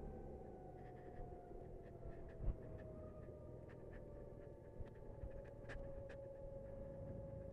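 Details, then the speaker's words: 2019 BMW C Evolution Plus electric scooter slowing while riding: a thin motor whine slides down in pitch over road rumble; it whines up to about 15 mph and goes silent above that, normal. "so it makes like a whiny noise at up to 15 miles an hour once you get above that you don't hear anything"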